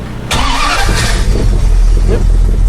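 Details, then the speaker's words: 1969 Rambler 440 wagon starting after new battery, positive cable, ground and starter wiring with a single solenoid; brief starter crank then it fires right away and holds a strong even idle, starting system working. "there you go. That's working."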